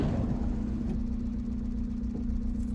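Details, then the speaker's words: VW TDI diesel in a T3 van, after the inlet manifold cleaning and a rough-running, smoky episode: the idle has settled into a steady, even low drone with no hunting. "the idol has settled down a little bit there now as well too"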